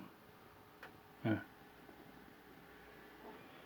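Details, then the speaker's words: Ciclotron Pop Line 350 amplifier head after replacing the faulty power-supply filter for the preamp: near-silent with only faint hiss and small clicks, the strong low-frequency hum is gone. "Oi sumiu tudo ronco bichinho tão pequeno né Faz uma barulheira"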